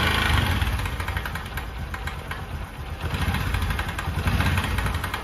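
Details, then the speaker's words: Bajaj Discover 125 idling with a light, uneven metallic rattle that persists even after a timing chain change. It comes from the magneto (pitted starter gear in the magneto cover), not the timing chain or main bearing. "ये जो आवाज़ होती है दोस्तों वो होती है magnet की।"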